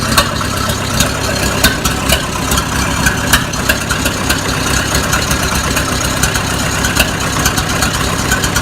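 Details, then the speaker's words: Oliver 550 diesel tractor, started after a new injector was installed; runs unevenly with irregular sharp ticks and stumbles over a heavy clatter, missing and rough, cause not yet clear. "Alright, the driver outside. Still sounds like shit."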